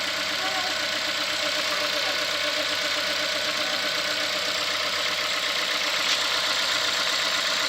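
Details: 2016 Ford Fiesta 1.6L inline four-cylinder, about a year old, which quiets down about 30 seconds after start: an even, steady idle with a light, quick ticking over a smooth hum and no knocks or misses. Normal running.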